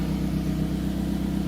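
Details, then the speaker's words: 2007 Toyota Camry at steady throaty idle with low rapid puffing rumble from an exhaust leak, a small hole on top of the flex pipe under the car, before repair. "All right, so that's the flex pipe that's underneath. And it has a leak on the top."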